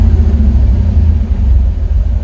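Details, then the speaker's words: Chevy El Camino G-body with LS swap and Holley EFI, after fixing air-fuel reading by hooking up the internal MAP sensor: deep, even rumble through a short blip and back down, AFR no longer spiking to 25–30, no stumble or dying on return; normal rev and return to idle. "still shoots up a little bit when i give it gas but it's not shooting up like 25 30 like it used to and uh when it comes back down it's not trying to die out"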